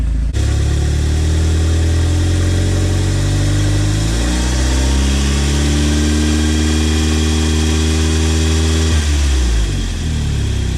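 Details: Audi B7 (tuned) after Wasa Motors balance shaft delete, revved to about 2,000 rpm: smooth steady hum climbs and settles back, clean and even with no rattle; engine sounds healthy.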